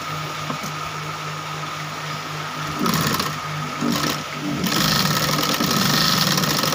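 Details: Model 8500B sewing machine after re-setting the timing, which had slipped and made it noisy. A light, quick whirr with a steady needle patter speeding up, smooth with no loud knocking; timing now correct.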